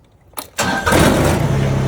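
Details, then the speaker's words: 2020 New Holland Work Master 25S subcompact tractor, safety switches jumpered, already warmed up so glow plugs not used; brief crank, then the diesel catches at once into a smooth steady idle: normal start. "It's already been warmed up, so I didn't run the gold plugs."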